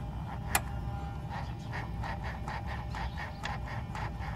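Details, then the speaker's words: 1994 Mercedes SL600 V12 with replacement 2003 E-gas throttle control module, ignition on, engine off: quick run of soft buzzing clicks as both throttle body actuators cycle, activation normal on both units. "you can hear activation is happening on both units"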